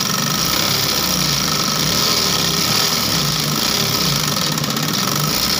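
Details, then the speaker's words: Model 8500B sewing machine after the slipped timing was re-set, which had been causing excess noise. Fast, steady mechanical chatter with an even, unbroken rhythm and no catches or knocks; running smoothly. "मैं machine का यह जो machine है मेरा इसका timing मिल गया तो बहुत धन्यवाद आप देख रहे हैं ना कैसे भाग रहा है"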